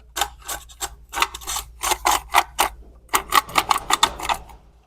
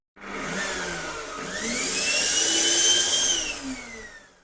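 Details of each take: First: Vacuum cleaner motor with intact winding and brushes, shaft spun by hand: rough, gritty rattling in short bursts, the front bearing worn out. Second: Vacuum cleaner motor, repaired after it overheated with a burnt-grease smell during building wiring work (failed thermal sensor removed from circuit), run on low setting: clean steady high whine, no rattle or scraping, smooth wind-down; normal motor run.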